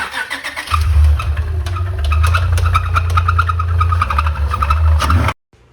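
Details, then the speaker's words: 2012 Acura TL 3.7L V6 with catback exhaust and high-flow cats, start-up after engine failure on the road: heavy metallic rattle over low engine note clattering at idle, crank position sensor circuit code set; blown engine, likely rod knock. "something's not good the motor's rattling really bad and he has a a crank position sensor circuit code"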